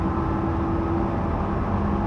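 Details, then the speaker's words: 2011 GMC van, 134,000 miles, driving on throttle around 50-60 mph: steady low drone with a whining tone over road noise, only when on the gas; rear differential whine. "it's the most annoying sound but it also sounds like you're kind of hitting like warp speed so it's like whoa and then the faster you go like up around like 50 60 it's the most horrendous noise i've ever heard"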